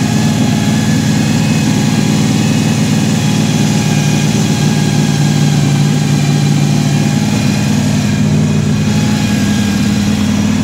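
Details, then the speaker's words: Fresh-built 4.3 V6 drag truck with a 4L60E transmission, on first start after a starter engagement fix. Loud, steady, lumpy idle at about 2100 rpm with a deep even drone and no knocks; good oil pressure and voltage, coolant warming. "we got our sitting right at 2100 rpm we got great oil pressure great voltage our water temp is starting to come up"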